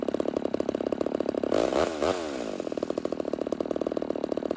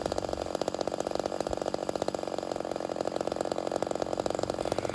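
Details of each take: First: Homelite Super XL 130 vintage chainsaw, first start after build, idle carburetor tuning: steady two-stroke idle slows and softens as the mixture is leaned out until RPM drops, then richened back to find maximum idle RPM. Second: Homelite Super XL 130 vintage chainsaw after turning the idle down slightly, which richens it: quick, even crackling pops at steady idle like popcorn, meaning low-speed mixture almost right; normal two-stroke idle near correct tune.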